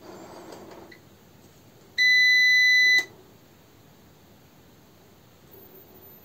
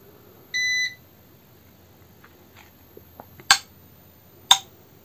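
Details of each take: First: TRANNERGY SGN4000TL solar inverter with solar panels connected but no 220 V grid: one long high beep as the LCD blinks, then faint transfer relay clicks, and it reports a utility loss error. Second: Trannergy SGN4000TL solar inverter with the grid line connected and solar panels being connected: short beep, then sharp separate relay clicks as it connects to the grid, followed by normal status; normal relay clicking.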